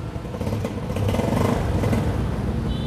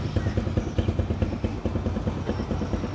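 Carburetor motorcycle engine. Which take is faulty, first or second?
first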